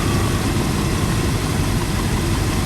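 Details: Land Rover Range Rover Classic LSE soft dash V8, idling while ignition timing is set to six degrees before TDC: a deep, steady, even rumble with no misses or knocks, idling cleanly.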